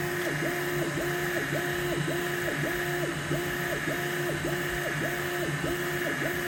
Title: neptune 4 pro squeaking sound